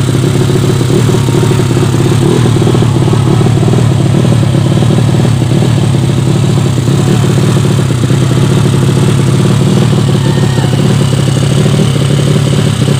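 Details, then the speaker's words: Yamaha Vega ZR with swapped Mio cylinder, 200cc, 66mm piston, standard stroke, Tiger cam, test run after long storage: steady drone at fast idle with slightly uneven, hunting beat; engine runs but carburettor not yet set, still lean. "maaf kalau punya polisi belum sesuaikan masih ada tekor yang pasti mesin ini masih bisa hidup dan norma ya cuman karbunya belum sesuai"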